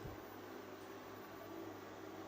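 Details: Newly wired home UPS with a 200 Ah battery, just switched on via MCB and charging the battery. Quiet, steady low hum with a faint fan-like hiss, even throughout; running normally.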